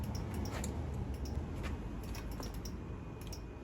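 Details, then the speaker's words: 1983 Honda Magna V65 1100 (VF1100C) electrical test, engine started: quick light turn-signal relay clicks near four a second, faster than normal because the rear signal bulbs aren't connected. "It's fast because we're not hooked up with the rear signals."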